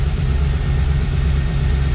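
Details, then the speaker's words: RV after a new fuel pump and new exhaust (three-inch pipe reduced to two-and-a-half at the muffler), idling. Deep, steady low rumble with an even beat, no puffing, rattling or ticking; exhaust sounds tight and healthy. "it's gonna be a little louder but it's going to be a nice sound nice sound for an rv that's for sure"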